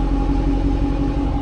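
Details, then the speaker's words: Hemi V8 muscle car at standstill: deep, even burble with a steady low rumble and no misses, quiet unless close; purrs at light or half throttle. Normal V8 exhaust idle. "Mais je veux dire quand on roule normalement, un filet de gaz ou moitié de pédale ça va, on l'entend ronronner mais c'est pas désagréable, c'est pas méchant."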